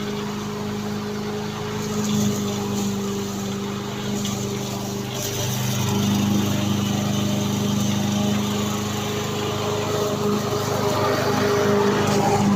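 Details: Victa petrol lawn mower after repair, blades refitted, previously stuck at full revs with throttle not adjusting: small single holds a steady, even buzz throughout with no surging, misfires or dropouts; running normally.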